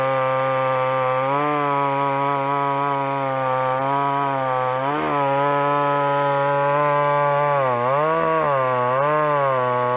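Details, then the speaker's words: Old McCulloch two-stroke chainsaw after carburetor screw tuning: steady clean buzz with small speed dips, running evenly and well tuned; low-speed screw or idle could come up a touch. "I reckon that'd be perfect. Literally, just perfect. If anything, the low screw could come up a teeny bit, or maybe the idle. Hear that? She's bang on now."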